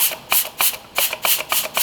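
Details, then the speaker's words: 2020 Chevy Blazer 3.6, 9T65 transmission with no forward or reverse gears, air check on clutch piston: short hiss bursts about three a second, piston sloppy inside and retainer not lifting; clutch piston failed, burnt retainer ring. "so this piston in here is not operating as it should you can hear it sounds like [ __ ] in the inside"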